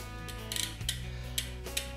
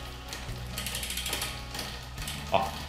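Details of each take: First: Bicycle rear derailleur after adjustment with correct spring tension, shifting to lower gears during slow pedaling: crisp quick clicks as the chain drops across sprockets over a freewheel whir; shifting clean and fast. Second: Bicycle rear derailleur with the cable deliberately over-tensioned, pedalling: bursts of rapid ratchety ticking as the chain nearly jumps onto the next cog but doesn't. The rear derailleur cable is too tight.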